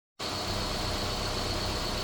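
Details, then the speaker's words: 2014 car brought in for a dead misfire with no codes and no check engine light, at this moment: even, steady engine hum with no skips or uneven pulses. Normal, smooth running. "Right now, you can observe it's running smooth."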